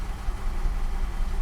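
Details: 1969 Mercedes 280SE with a repaired mechanical fuel-injection pump, timing set, fed from an external fuel tank, first start after years of sitting: a low, uneven rumble as it catches and idles rough but keeps running. The disconnected shift linkage left it in gear.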